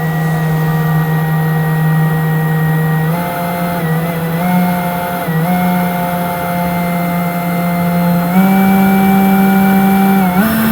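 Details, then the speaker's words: Ryobi 40V brushless Whisper blower: the motor whine steps up in pitch well after each trigger change, stuttering and cutting in and out even at the lowest position; the variable-speed trigger switch is faulty and lags. "instead it's cutting in and out. As you go higher, it goes from like there's a lot of delay in that switch."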